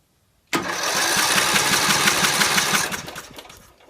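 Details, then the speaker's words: Briggs & Stratton 18hp lawn mower engine that won't start, new battery: starter spins it fast and even with steady chuffing, no compression drag, plug out so no firing; owner suspects starter motor, not confirmed. "turning the motor over with the spark plug in new [Music] battery this is turning the motor over with no spark"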